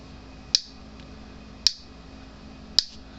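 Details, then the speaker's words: 36-year-old Gallagher BEV3/M800 fence energizer, little to no output: sharp, harsh snap about once every 1.1 seconds, louder and crackier than normal; the exposed-lamination output transformer is arcing and was replaced. "it has very little to no output and when it's clicking it sounds like it's arcing it sounds a little louder than normal"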